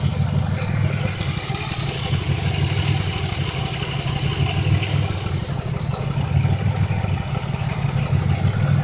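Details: 2005 Impala 3800 V6 idling with an uneven stuttering rhythm, cylinder misfire; P0305 code, still misfiring after replacing #5 spark plug, plug wire and injector, cause unknown.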